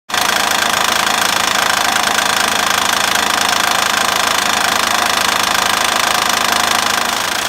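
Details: 2006 Honda Ridgeline idling with a steady, even knock about 200 per minute; a previous shop said it needed an engine, but the cause was a bad timing belt tensioner, replaced with water pump, timing belt and idler pulleys.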